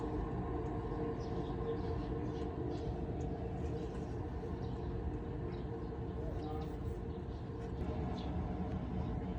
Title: The Unbearable Noise of a Bad Wheel Bearing